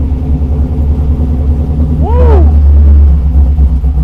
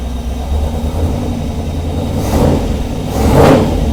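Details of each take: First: 1948 Mercury pickup, first start in over 50 years, electric fuel pump on with fuel pressure: a deep uneven V8 rumble runs about six seconds on fuel poured into the carburettor, then sags and dies. Owner suspects a gummed-up carburettor. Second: 1948 Mercury pickup after its first start in 50+ years, oil pressure good: a deep steady V8 rumble swells cleanly with two throttle blips, no stumble or misfire. Runs well, with slight startup hesitation; the mixture is possibly a bit off.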